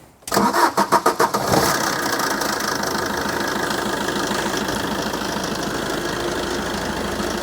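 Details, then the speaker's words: Fiat Doblo Cargo van, old diesel with 140-something thousand miles, started on a cold day before its MOT: a few cranks, then a steady clattery idle with no distinct knock; the owner thinks it sounds worse on the road, and the cause is unconfirmed. "It's a bit clattery, but it is an old diesel and it's covered 140-something thousand miles."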